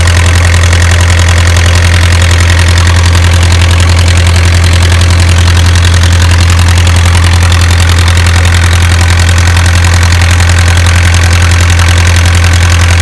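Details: Isuzu 4BA1 85 hp four-cylinder diesel coupled to a 5-inch single-impeller water pump for orchard irrigation: even diesel clatter with deep steady throb, no misses or knocks; normal idle.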